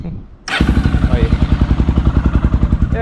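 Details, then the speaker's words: 2008 Honda Twister 250 that was hard to start and would not hold idle, after a slight carburetor idle screw adjustment: it catches and settles into an even, steady single-cylinder thump about three beats a second. "a lenta dela ficou boa vocês viram aí única"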